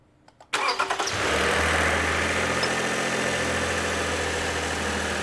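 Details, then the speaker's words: 2008 Toyota RAV4 V6 cold start after sitting all weekend, brought in for an intermittent cold start rattle/grinding: brief crank, then a steady even idle with no rattle this time; problem thought to be in early stages. "nope shut it off arrows so it didn't do the cold start rattle so I'm gonna Venture off and say this one is in its early stages"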